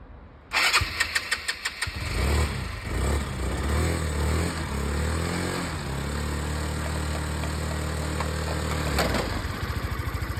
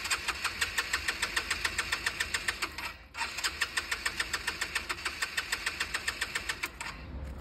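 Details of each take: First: Scooter restarted after about two years unused, plug removed and dried: quick cranking pulses, catches about two seconds in, revs and settles to even putter; owner thinks stale fuel plus flooding from repeated cranking caused the no-start. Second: Scooter restarted after nearly two years unused, air filter cleaned and refitted: quick even starter pulses with a brief stop, engine turns over and coughs but won't start; excess cranking risks flooding.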